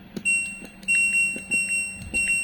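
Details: LG Smart Inverter front-load washing machine control module after replacing a cracked PWM IC, 5 V and 12 V (11.91 V, stable) reaching display board: clean bright power-on melody when power button pressed; board starts normally.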